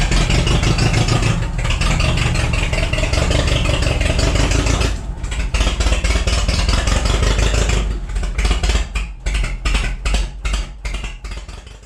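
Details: Cheap forklift engine after ignition work: runs lumpy with uneven beats and stumbles as it slows; one cylinder misfiring, traced to a bad rear spark plug.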